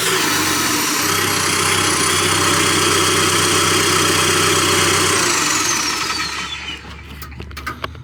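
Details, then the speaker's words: Cat D3K2 dozer diesel, rough running with exhaust/DPF hooked up despite no soot codes, runs when disconnected: steady, slightly lumpy beat with high whistle winding down at shutoff; restricted exhaust, mechanic suspects plugged DPF, about to remove it. "I'm still very kind of mind blown that there's no codes for it, but clearly when the exhaust is hooked up, it won't run, and it will run with it not hooked up."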